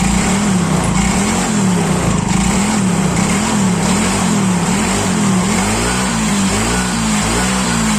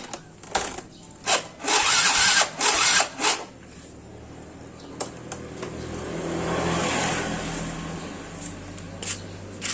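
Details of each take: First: Yamaha Mio Soul GT scooter, previously non-starting after sitting unused several days, idles steadily with a gentle regular wobble and no stumbling; the fault was only the spark plug, oil checked fine. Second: Yamaha Mio Soul GT scooter, unused for several days and won't start, cranked after a spark plug replacement: several short starter bursts with no catch, then a weak rising run after more cranking; still not starting, oil checked normal.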